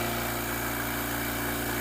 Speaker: You'll notice just how nice and quiet the compressor is. It's very steady.